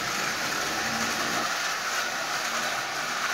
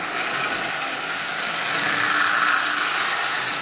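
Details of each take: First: Marx 999 toy locomotive with a double reduction motor built from junk-box parts, E-unit bypassed so it runs forward only: steady high-pitched motor whir with gear hiss, even and unbroken; runs smoothly. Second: Marx 999 toy train locomotive with double reduction motor, built from junk parts, first test run forward only: steady high-pitched buzzing whir with a rough gritty edge, no knocks; an old worn, noisy motor.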